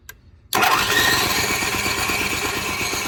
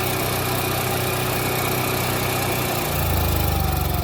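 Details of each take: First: Onan 4000 KY series generator that was surging, stalling and hard starting: after a silent gap it bursts into life with a ragged, uneven beat, running rough. The choke lever would not move and the choke plate was found stuck open. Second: Onan 4000 KY generator after a new plug, oil, fuel filter and fuel pump, carb bowl and jets cleaned, and choke coil adjusted. Final result after turning the altitude adjustment screw counterclockwise to richen the mixture until the surging stopped: a steady, even drone with no hunting.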